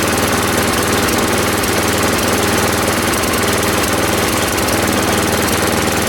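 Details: Ariens 824 snow blower, Tecumseh HMSK80 engine, after carburetor repair (jets cleaned, float bowl and gasket replaced; owner believes an air leak at the old gasket caused surging): steady low idle, even putter, no hunting.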